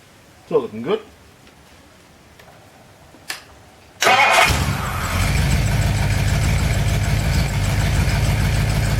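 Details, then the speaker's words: Reconditioned-bottom-end Ford 390 FE big block with 2V manifold, first test run before ring bed-in, catches and runs steady and even with faint squeak, from alternator or water pump; otherwise runs beautifully. "so the alterator or the water pump making that noise it runs absolutely beautifully"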